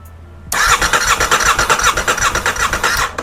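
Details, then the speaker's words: 2023 Aprilia RS660 crash-damaged rebuild, no fuel tank, fuel or coolant, after immobilizer fix: strong, even cranking about two to three pulses a second, turning freely without firing; starter working healthily. "and it cranks over. That is just excellent. One more time. That sounds really healthy. That sounds really, really healthy."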